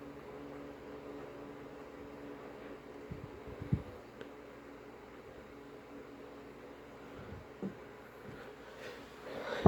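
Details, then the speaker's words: Early-1960s FoMoCo car radio on the bench, volume maxed, dial swept from about 590–600 AM: no stations or crackle, only a faint steady hum; owner suspects an AM amplification problem, not an antenna fault, unconfirmed. "what's happening here is complete silence well not complete there's a hum but that's it it's definitely a problem with am amplification"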